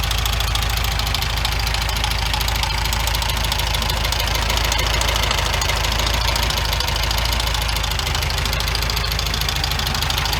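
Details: 1974 VW Beetle air-cooled engine idling with a loud, steady knock of about four heavy raps a second; the engine was replaced and the old one will be torn down to find the source.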